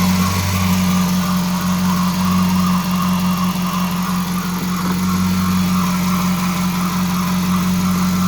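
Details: Dodge Charger R/T 5.7 Hemi V8 after replacing shredded serpentine belt and bad tensioner pulley: steady idle with a constant low hum and faint whirring from the belt area; belt sounds funny, owner suspects too tight.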